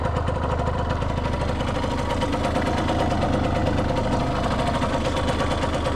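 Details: 1989 Yamaha YSR50 50cc two-stroke, 198 original miles, cosmetically restored, quick start-up: quick, even crackle of pulses at a steady idle with no knocks or misses; motor sounds like brand new, healthy.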